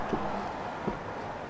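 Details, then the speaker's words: 402,000-mile 2003 Mercedes-Benz E55 AMG on lift, wheel rocked by hand checking dealer-flagged play: three dull clunks about 0.75 s apart; worn lower ball joint, definitely bad. "yeah this is bad you can hear that and probably see it so that is definitely bad"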